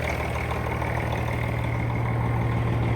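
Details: Truck diesel engine with 556,000 miles, back running after repair: steady, even low idle about three pulses a second, no misses or knocks, good oil pressure and no warnings; loud air compressor also heard.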